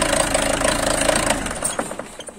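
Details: Peugeot 307 2.0 HDi diesel idling: sharp, rapid, regular knock over the engine note that appears as rail pressure reaches about 2.5–3 and persists after four injectors were replaced; cured by cleaning the fuel rail pressure sensor.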